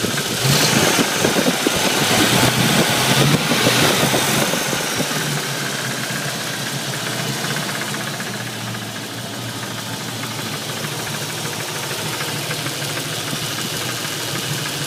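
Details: Ford 302 HO V8 with 76,000 miles, warm start, idling with a steady, even tapping knock at about three beats a second over the engine drone; cause unknown.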